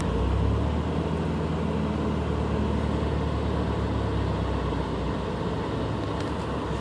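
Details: Stock Subaru BRZ engine struggling to hold idle: low, uneven rumble that stumbles about four times per second, misfiring whenever RPM drops, with no check engine light.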